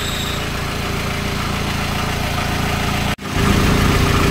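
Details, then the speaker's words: Mitsubishi L300 FB idling with the AC on after the condenser was cleaned. The driver's complained-of noise is gone. Low side reads about 40, high side 100 rising to 130–150 as the condenser warms. Steady compressor hum with no rattle or grind; slightly reduced but acceptable compressor power. "Ang sinasabi ng gauge natin sa 40 medyo bawas na yung power ng compressor, pero goods pa naman, pasok pa naman sa 40."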